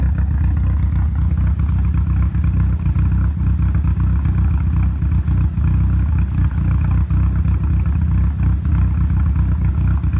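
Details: Nissan Silvia S15 petrol engine with a rough, uneven idle, its low throb stumbling instead of holding steady; began after a full respray with engine removed and reinstalled, ran perfectly before, cause not yet found.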